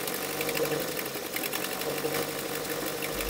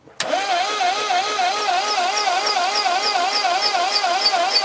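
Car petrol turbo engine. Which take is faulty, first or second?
second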